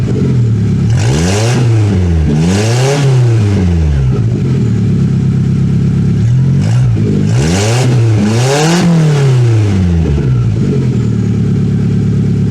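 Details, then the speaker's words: 1996 Toyota Camry LE with a 2.2L inline four, exhaust removed to replace a broken flex pipe: loud, raw, unmuffled blats rising and falling through repeated revs. "A 90s 2200 Toyota inline 4-cylinder with no exhaust."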